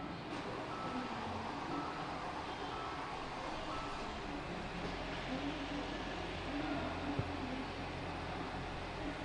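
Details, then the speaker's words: 2015 Hyundai Santa Fe 2.0L turbo right after a short block replacement: steady, even engine hum with no knocking, no misfiring and no engine lights. "no knocking no misfiring no engine lights on I'm gonna let this thing sit and run for a little bit"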